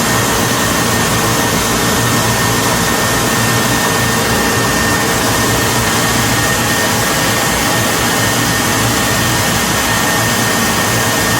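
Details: Whirlpool dryer: steady even rush of air and drum with faint constant hum, no thumps or grinding; running smoothly.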